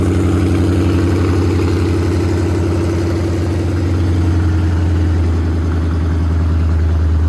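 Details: Coyote V8-swapped 1979 Mustang Pace Car idling in neutral on open headers, base-file tune: loud, deep, steady rumble with an even quick pulse and no knocks or misses; healthy idle.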